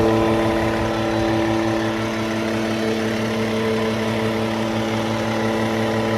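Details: Cummins ISX15 diesel with upgraded oil pump idling evenly with a steady mid-pitched buzz over the rumble; source of buzz not confirmed.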